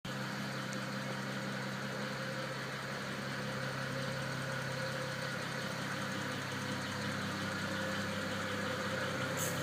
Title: BMW 335i engine ticking noise